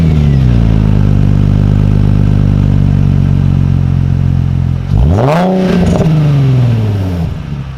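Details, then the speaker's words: Nissan 350Z V6 with new Cobra non-resonated exhaust and TP34 tips, camera just behind the car: deep, even burble at idle, then a clean rev climbing and falling smoothly, no knocks or rattles; normal exhaust note, far louder than stock. "donc comme vous avez vu le bruit qu'elle fait c'est ça rien avoir en fait c'est amplifié moi je dirais faut à 10 voire x 20 par rapport aux sons d'origine et le son est trop beau"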